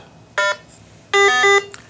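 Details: RATH SmartPhone 5/6 elevator phone being programmed for the SoundNet call center: in a quiet room, two clean beep bursts, a short one then a longer two-tone one, confirm the 11-digit site ID was stored.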